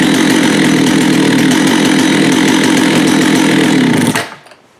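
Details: Vintage Jonsered 80 chainsaw after a carb kit and diaphragm change: loud, steady two-stroke snarl at even speed for four seconds before shutting off; clean and smooth, no stumbling.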